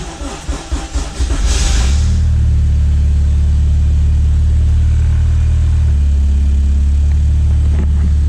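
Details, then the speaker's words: Honda CT70 fitted with an 85 engine, in winter cold (warmed weekly); weak starter grinds briefly, engine catches into steady low idle rumble after it previously died; the 85 starts poorly cold, fine when warm. Cold start stalling. "always the one right after it dies but the 85 does not like to start when it's cold when it's warm out obviously it starts right up"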